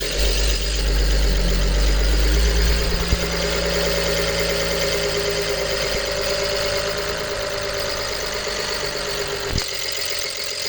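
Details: 2011 BMW 325i, N53B30 petrol engine at idle, new coils, plugs, oil and air filter, cylinder 6 misfire the day before: steady pulse, then a click or pop, possibly an air valve, as rough idle begins, lasting a few minutes.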